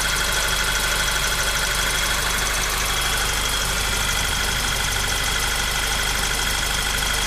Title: Golf 6 GTI Motorgeräusch